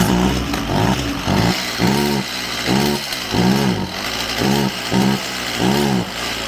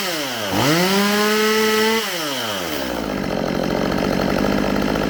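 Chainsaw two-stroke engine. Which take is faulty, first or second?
first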